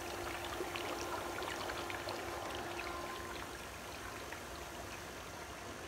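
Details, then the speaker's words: 10,000 W homemade electrolyzer cell, about 3 gallons water with food-grade potassium hydroxide, electrolyte not yet at full strength: dense steady fizzing rush of bubbles with pops, producing gas heavily and running normally. "we are producing an enormous amount of gas and we're not all the way there yet"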